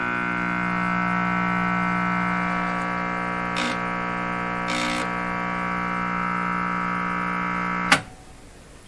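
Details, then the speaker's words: Silvertone (Sears) Model 3351 five-tube radio at first power-up. Once the tubes light and warm up, a loud, steady low buzz with stacked overtones. This mains hum indicates a failed filter capacitor in the power supply. "Well, that's indicative of a failed filter capacitor in the power supply."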